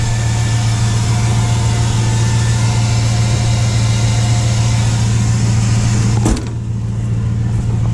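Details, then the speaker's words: Dodge Ram after its first oil change in almost 3 years: a deep, smooth, even rumble with no knocks or misses, then a short thump near the end. Still sounds good; normal idle. "yeah it still sounds real good still got a little under half a tank"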